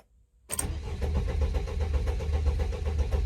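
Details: Mercedes Sprinter cranking with the engine light on: steady starter cranking at about four even pulses a second that never fires, and the revs stay still; crank-no-start, owner suspects an undetected short to ground.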